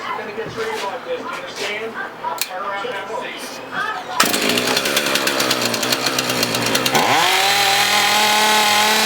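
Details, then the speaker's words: Husqvarna 450 X-Torq chainsaw after carb pump diaphragm replacement: fires ragged and uneven, then revs climb and hang in a thin whine, starving for fuel; running lean from an air leak through a hole in the primer bulb. "all right we got a couple problem we developed a hole in our primer"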